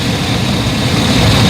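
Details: 2011 GMC 3500, after fixing crank no-start by fuse/relay wiring: even, steady low idle with no misses or knocks; runs smoothly, normal idle.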